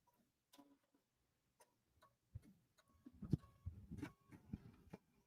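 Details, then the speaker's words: Embroidery machine stitching a Kimberbell Candy Corn Quilt Shoppe block: sparse sharp clicks, then a busy clatter of knocks; thread nesting under the hoop. "But like it was making some weird clicking noise that definitely sounded like this area. I don't see anything."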